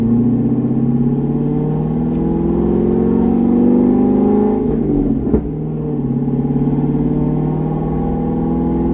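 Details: C6 Corvette with aggressive camshaft and long-tube headers on a revised HP Tuners tune, test drive kept at part throttle: even V8 drone rising and settling smoothly through part-throttle pulls, no stumble or hunting; decent street manners, idle tuning about 80% done.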